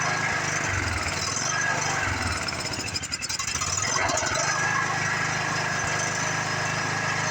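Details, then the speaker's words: Free Craftsman riding mower, single-cylinder, sat in a garage for years, briefly run: normal running, steady slightly uneven putter with one brief dip, no knock or clatter; starts easily, stopped smoking. "the engine sounds healthy no Notch no flatter no nothing like that it's not even hard to start like some of these rigs are"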